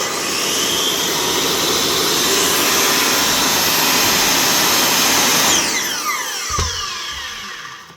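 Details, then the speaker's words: Makita 5008MGA saw that came in not starting, already fixed by the customer: new brushes weren't fully seated on the armature until given a knock. A steady, even high motor whine for five seconds, winding down smoothly with no rattle. Normal running. "He just needed to give it a wee kick to get it to start."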